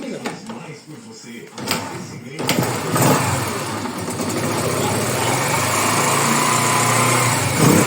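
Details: Yamaha YBR/XTZ single-cylinder engine, after timing chain replaced and balancer shaft removed to cure a noise at mid rpm: catches after a couple of seconds and settles into an even, steady beat with no knocking, running normally.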